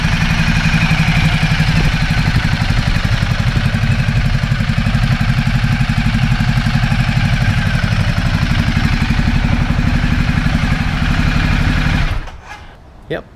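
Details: 2010 Ducati Multistrada 1200 twin, after fitting new high-capacity battery and starter cables to cure slow starting: steady even running beat with no misses or clatter, then shuts off cleanly; engine healthy.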